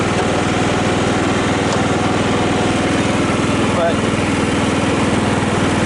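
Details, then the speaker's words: Cub Cadet LT 1018 lawn tractor, free after tree damage, repaired drive belt, tires and blade engagement, deck idler spring replaced by a mattress spring; first PTO engagement cutting grass: steady engine drone under load, blades spinning normally with no slipping, grinding or chatter. "all right is the power take off for the first time well you seem to be cutting grass"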